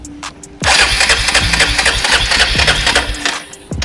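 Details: 2002 Arctic Cat 375 4x4 ATV, long abandoned, after a new starter solenoid and relay: a short crank on the button, then the single fires and runs on with a busy, even beat; normal start and idle.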